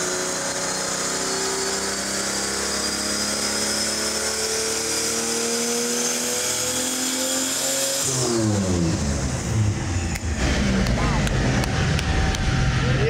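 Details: 1964 Ford flatbed, turbocharged Ford 300 with intercooler and FiTech EFI, chassis dyno pull: pitch climbs steadily under load, then lifts off into lower rumble and clatter; strong healthy run, about 377.7 hp and 373 torque.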